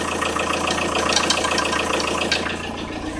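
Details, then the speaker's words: Audi A6 C4 1.9 TDI diesel at cold idle, at 0–5°C ambient: uneven knocking about three or four per second, heard near the timing belt. Tensioner rollers are fine. It disappears as the engine warms; source unknown. "Непонятный звук мотора, неравномерное постукивание. Слышно в районе ГРМ. Ролики натяжные все в норме."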